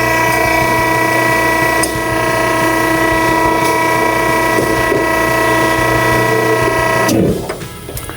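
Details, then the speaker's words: Vehicle-barrier hydraulic system running with a hissing pressure relief valve; as the pressure bolt is tightened the pump whine builds pressure, hissing stops and the pressure switch cuts the system off cleanly, relief valve later verified at 2100 psi. "And now the system's shut off."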